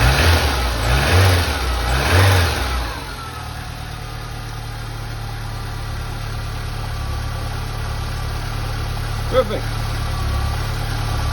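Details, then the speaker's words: Porsche 924 after a major service (new oil, timing belt and water pump, coolant bled; plugs, air filter, cap and rotor fine): a few quick revs at startup, then a smooth steady idle with an even hum, no misfire or tapping. "So in essence, this is a really nice little engine. It runs well. I'll start it up for you guys and you can see she idles like a top."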